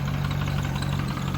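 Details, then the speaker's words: LS engine with JB Weld in place of the head gasket, steady idle before a full pull: fast, even tapping over a low drone, pistons touching the head from too little clearance, feared to be beating up the JB Weld. "see I don't want the Pistons to be beating up our JB Weld and throwing off our hyot a little bit"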